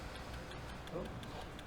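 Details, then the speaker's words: Syscal IRIS resistivity meter running a contact-resistance test: quiet, rapid, evenly spaced light relay clicks as it cycles through the potential electrodes; normal operation, target electrode resistance about 2,000–5,000 ohms. "Did anybody hear the sound when it was going click, click, click? So it was testing the potential electrodes."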